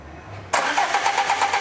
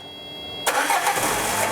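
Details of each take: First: Peugeot Partner with a TU5 JP4 petrol engine: the starter cranks with a steady rhythmic churn but the engine never starts, because the fuel pump positive wire gets too little voltage; it runs once 12 V is fed directly. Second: Peugeot Partner, TU5 JP4 engine, with a direct positive feed jumped to a fuel pump that had low voltage: a quiet hum, then the engine catches abruptly and settles into a steady, even run.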